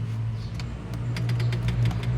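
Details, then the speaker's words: Midea automatic washing machine after replacing the rubber drain part, spin program test; drain motor pulls in and opens the gear clutch assembly: low, even hum with a few light clicks, smooth and steady, normal drain motor operation. "Ayun na, hinila na mga weeks. Ayan, hinila na."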